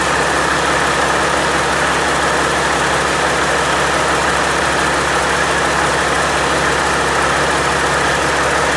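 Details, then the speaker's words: Overhauled Caterpillar C-15 diesel at first start after rebuild: even, steady idle clatter with good oil pressure, no knocks, misses, vibrations or rattles; healthy engine. "okay well didn't throw a rod through the side got pretty good oil pressure um everything sounds good no vibrations no nasty noises"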